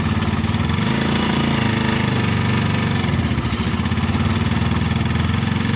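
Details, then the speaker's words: Car fitted with a motorcycle engine, idling with a heavy, throbbing low rumble and vibration. The engine-to-transmission coupling is suspected to be too long and hitting the engine. "Jadi kemungkinan teman-teman ya yang membuat penghubungnya itu berbunyi karena dia terlalu panjang. Jadi dia mentok ke mesin teman-teman."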